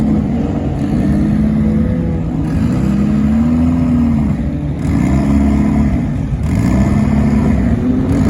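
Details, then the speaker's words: Boosted Honda Integra with factory distributor, in-car drag run at Las Vegas; hard high-rpm pull repeatedly stumbling and dipping under boost; sputter, owner suspects coil and plug, limits of factory distributor. "And the coil and plug hopefully takes care of, because anytime you try to pull real power on it, it just sputters, as you can see in the video."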